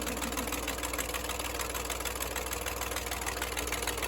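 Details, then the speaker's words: Jeepster Commando rescued from a junkyard, now running: steady, even idle with a regular pulse, no stumbles or stray knocks; struggles at 190 but runs like a clock. "But runs like a clock, man."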